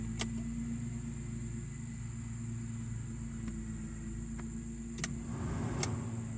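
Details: 1986 Jaguar XJS V12, power windows after the faulty relay was replaced, ignition on: quiet cabin with sharp switch clicks, then a short smooth motor whir as the glass moves freely with no grinding; windows working normally.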